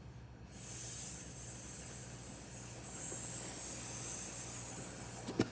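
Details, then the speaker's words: Carter YH carburetor from a 1963 Corvair Spyder on the bench during rebuild, float needle lifted off its seat, air blown in with a compressor tip: steady soft hiss about five seconds; air passes the open needle valve. "Hopefully you can hear a little hissing there, so the air does pass through."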